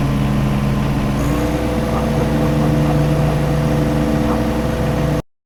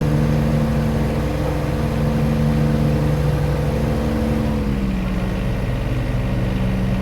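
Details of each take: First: John Deere 1025R tractor diesel after replacing main fuel filter under floorboard to cure surging/stalling: steady idle with even low thrum, no surging, hunting or stumbling; normal idle. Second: John Deere 1025R tractor diesel: runs steady, then revs sag and shift pitch twice in ten seconds, hunting instead of holding; surging caused by a clogged main fuel filter under the floorboard.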